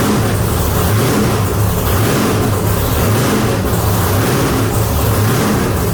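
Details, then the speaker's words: Deathtrap truck V8 first start after reassembly, fuel lines tightened: big low steady rumble with a few throttle blips, firing evenly without misses or knocks; engine running healthy. "all right guys there you heard it death trap back alive sounds good"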